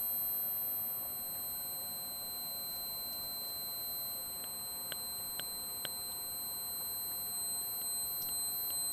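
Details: Microphonic output ceramic capacitor C4 on a Miniware MHP30 board sings a thin steady high-pitched whine with faint ticks under PWM dimming; adding a 150 µF electrolytic didn't help, removing C4 stopped the tone.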